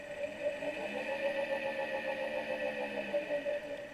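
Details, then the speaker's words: Solectria AMC325 motor controller, ground wire reconnected after a no-ground fault that caused a shorting-out sound and no-run: steady, even mid-pitched hum with no stutter or cutting out; motor running smoothly and normally. "We simply take the ground wire, we hook it back up, and nice and happy again."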